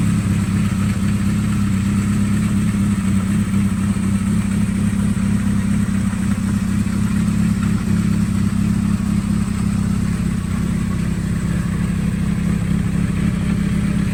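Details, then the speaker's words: 1979 Kawasaki Z650 four-cylinder, fully restored after years sitting, completely rebuilt with worn parts replaced: starts with a touch into a smooth, steady low-burble idle with no ticking, knocking, missing or smoke; healthy. "Starts with a touch and sounds good. No smoke, no noise. A perfect bike now."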